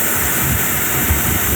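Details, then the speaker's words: 1984 Chevy Monte Carlo V8 revived after years abandoned, running cold before warm-up: uneven, lumpy chugging with a steady hiss, smoking; suspected vacuum leak, possibly a loose spark plug wire, seemingly running on seven cylinders. "They're smoking pretty good. This thing does not sound happy."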